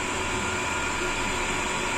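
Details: Sanyo/Shimizu jet pump, discharge throttled to stop cavitation, under 20 PSI into vertical pipe: steady high-pitched motor hum and rushing water, no rattling or gargling; running smoothly without cavitation.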